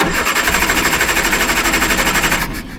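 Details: Triumph Herald with Stromberg carburettor, second attempt after jet (found fully wound in) was undone a bit, choke confusion: steady rhythmic cranking over two seconds without catching, winds down. Still won't fire; cause unconfirmed, carburettor troubles continued next day.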